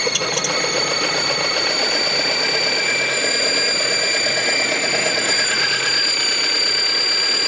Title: 2002 mazda 626 squealing noise